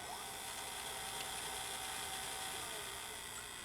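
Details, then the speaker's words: 2006 Sony DVD/VCR combo with Funai-like VCR mechanism, case opened: even, airy whir with steady light ticking, hesitating before going into super fast forward, no grinding or labouring; normal fast forward. "See if it goes into super fast forward mode. Not really. There it goes."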